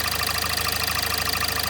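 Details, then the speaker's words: Kia Sportage 1.7 CRDi D4FD diesel, 15,000 km, under warranty, warm idle with oil filler cap closed: fast even ticking knock over the clatter, barely there when cold; dealer suggests possibly injectors, unconfirmed. "Kia Sportage 1.7, дизель, лишний звук в моторе. Может, что-то специалисты посоветуют."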